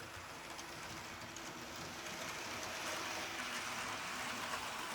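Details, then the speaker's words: Hornby Tornado Express set locomotive, repaired after arriving broken, running on the layout on an old controller: soft steady whir with faint rail clatter and no motor growl; it runs smooth and quiet. "oh it is silent no growling on my ancient life like controller really smoothly pretty quiet too"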